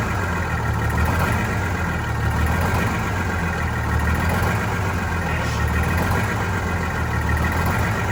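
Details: Vintage diesel bus, cold day, after injector cleaner: low idle slightly uneven and lumpy, loping every couple of seconds, sounding fuel-starved; air entering fuel, suspected from a line before the new hoses, unconfirmed.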